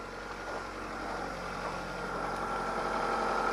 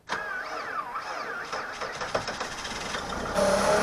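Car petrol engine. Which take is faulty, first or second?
second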